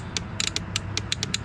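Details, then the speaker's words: Mercury 25 hp four-stroke outboard reported with no spark and electric-start fault, battery connected: sharp uneven dry clicks about seven a second with no cranking; voltmeter shows no voltage reaching the starter. "it just clicks so what i'm going to do is i'm going to get my volt meter i'm going to apply it one of the probes right here to the positive into the ground and i'm going to see if i'm getting 12 volts to my starter so we're going to give it a shot as you could see we're not getting any voltage to the starter"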